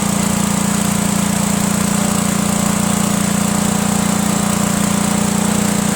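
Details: Cub Cadet garden tractor with Kohler Command horizontal engine that ran rough from poor fuel delivery, running with gas gravity-fed straight to the carburetor, bypassing the worn fuel pump: steady, even single-cylinder drone, no stumbles or surging.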